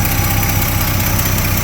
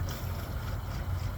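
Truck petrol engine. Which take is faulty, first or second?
second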